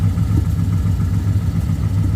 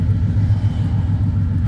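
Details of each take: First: BMW E36 with rebuilt 5.7 LS1 V8 swap on a base map, on ramps at idle: deep, lumpy idle with loose, uneven exhaust pulse; exhaust leak, believed to be a loose exhaust clamp. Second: BMW E36 with swapped rebuilt aluminum 5.7 LS1 V8, after the exhaust leak was fixed: a deep, steady rumble with an even pulse and no ticking or puffing, exhaust now sealed.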